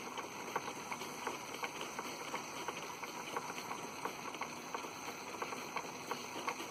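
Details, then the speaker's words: Polish school steam mill engine run by gas-fired boiler, overdriving a workshop lineshaft, throttle opened fully: quick even exhaust chuffs about three per second over soft hiss; running well, not yet on governor, could go faster. "balls-to-the-wall right there well the governor it's not even on the governor yet it can go a lot faster than that"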